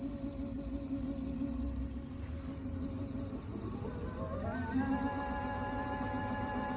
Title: Motorgeräusche des Segway ZT3 Pro D. Ist das normal?